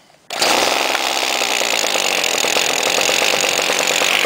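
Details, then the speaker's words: Homelite direct-drive trimmer unstarted for about two months, broken throttle cable and choke worked by screwdriver: tried to fire, then caught and settled straight into a high, steady buzzing run with no stumbling; starts quickly. "wow look at that that's already pretty quick for Home Light especially sitting for that long also direct drive pretty sweet"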